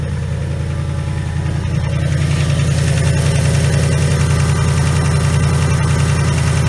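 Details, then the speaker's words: 2019 Mustang GT with a blown engine that needs replacing: a heavy, loud idle with a steady, regular pounding knock, pronounced under the hood, with a big puff of smoke from the passenger-side exhaust; suspected rod knock, not confirmed. "I don't know if you guys can hear that but it's pretty pronounced I see that knock"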